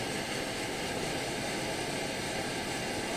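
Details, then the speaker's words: Primus OmniFuel stove on white gas with OmniDawg cap, bottle valve closed down: smooth, even hiss and roar, no pulsing or chugging, flame stabilized. Normal steady burner. "so to eliminate that just go ahead and close down on the bottle valve just enough see it's slowing down as I close that down it'll stabilize and the chugging will stop"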